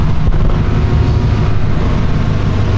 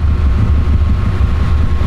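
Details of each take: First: Flat-four idling just after COBB flex fuel sensor install and fuel pump priming: steady, even burble at idle with no stumbles, ticks or surging; normal idle. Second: Car being fitted with a COBB flex fuel sensor, left idling to bleed fuel pressure: low idle surging and sagging unevenly before stalling; stumbling from fuel starvation.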